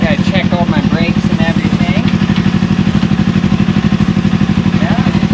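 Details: Old motorcycle, previously not running, after carburetor cleaning, new sponge air filter and battery install: steady evenly spaced exhaust beat with no misses or clatter; runs like new, normal running.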